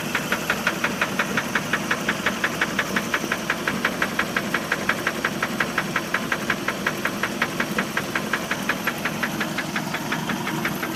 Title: 1988 3.0 liter Mercruiser making a knocking noise help